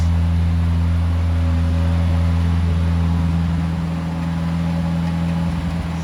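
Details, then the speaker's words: 1970 Morris 1300 (ADO16) barn find on its first successful start, choke held out. Low, even idle with a steady beat, no tapping and no exhaust blowing, running smoothly. A fuel pump or delivery problem is still suspected. "Not blowing out of the exhaust anywhere. Not tapping or anything, sounding really nice."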